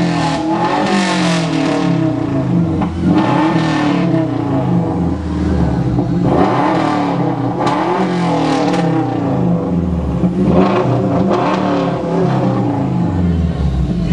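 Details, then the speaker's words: Subaru Legacy 2.5 L boxer (rated about 155 hp, owner thinks) after a makeshift brake repair, free revving: clean repeated blips rising and falling smoothly, raspier exhaust note than average car, no knocks or misses. Normal revving. "these things uh definitely got a raspier sound than the average car"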